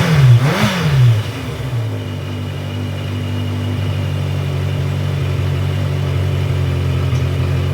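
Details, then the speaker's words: 1982 Yamaha Maxim 750 motorcycle after ignition switch repair, all wiring reconnected: engine fires right up, blips briefly, then settles into a steady even low hum with no knocks or misses; normal running. "So, that all works. Perfect. Fired right up. Great."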